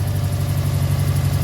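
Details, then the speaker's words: Newly bought cheap Subaru WRX-type boxer project car with Turbo XS top-mount intercooler and Grimspeed-style downpipe, still drivable: low, uneven loping idle, shakes badly, with a loud rapid tick; rough idle, cause not yet known. "And that really loud ticking, like I know these Subarus tend to be a little loud and they do tick."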